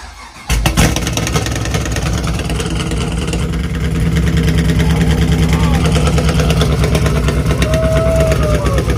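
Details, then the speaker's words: 5th-gen Camaro LS3, essentially brand new, first start after installing a BTR stage 3 cam, no fans or coolant yet: V8 catches and settles into a loud, lumpy, choppy idle with a steady low rumble. "Alright guys, we're about to get the first start up right now. BTR, stage 3 cam."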